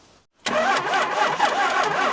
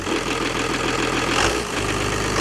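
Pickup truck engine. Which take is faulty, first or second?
first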